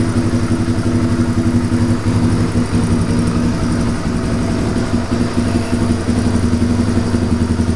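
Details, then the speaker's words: 1997 Suzuki DR350 single-cylinder, previously idling unsteadily and backfiring, after swapping the CDI: even thump about three pulses a second, no misses or pops. Steady idle; owner now confident the old CDI was bad. "that's a lot more steady than it ever was before"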